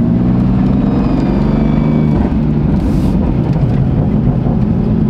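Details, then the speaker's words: BMW M4 while driving: faint thin whine over engine and road rumble, cause unknown; owner wonders about a boost leak and says it has made the sound before, but only when cold. "don't know what that whining noise is though that's weird like"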